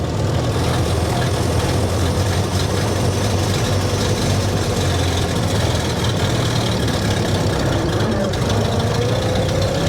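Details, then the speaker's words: 1929 Austin Heavy 12 pulling away in second gear, not yet full power: heavy low engine rumble with faint whine climbing in pitch; normal second-gear whine, torquey engine. "sound so it hasn't quite got full power yet but it's it's sounding more like it used to it's that lovely wine in second gear and you can pull off in second gear in this cuz the engine is so torky"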